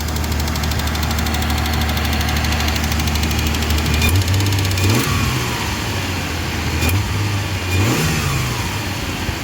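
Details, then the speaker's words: Mazda 323F V6, cold, just started after packing out the battery terminals: fast, even idle with loud ticking that never settles low; idle set high, adjustable by screw; no hunting, so the vacuum leak seems fixed. "the idle's high but that could be adjusted looks like the screw adjust screws down at the top um it's not hunting so looks like the vacuum leak to sorted"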